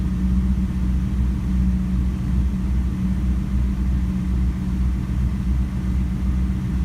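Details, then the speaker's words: LS1 Camaro after knock sensor replacement for P0327/P0332: a low, even V8 idle holding steady without stumbles, misses or tapping. The engine idles cleanly; the check engine light is still on, pending clearing. "See if it idles down a little. There it goes."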